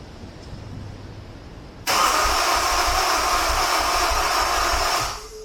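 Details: Honda S2000 cranked with the injectors reconnected after fuel-clearing cranks left a strong fuel smell: three seconds of steady starter cranking under a loud hiss with even low thumps, never fires. Cause unknown; crank, no start.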